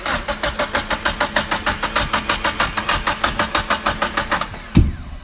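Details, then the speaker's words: Mazda MX-5 four-cylinder with a Haltech Platinum ECU and a newly installed 36-2 crank trigger wheel, while cranking: steady starter churn with pops, backfiring and a bang. Timing is suspected to be 360° out, and adding 36 to the tooth offset is planned. "Popping. Some popping, some backfiring. Sounds like the timing might be out 360 degrees because for every 1 revolution of a cam, there's 2 revolutions of the crank in a 4-cylinder motor."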